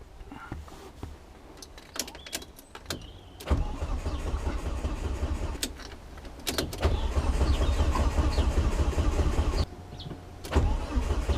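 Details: Volvo S40 with Holset HX40 turbo on new Speeduino ECU: long steady cranking with a low chug that never catches; ECU reads no engine speed though fuel smelled; crank sensor polarity found reversed, timing out.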